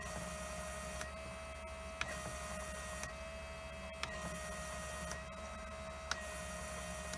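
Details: Fuel injectors from a 1000 hp, 21 psi turbo Trans Am on E85, bench tested and cleaned: steady hum with sharp click about every second; two injectors found badly clogged, gummed up by E85.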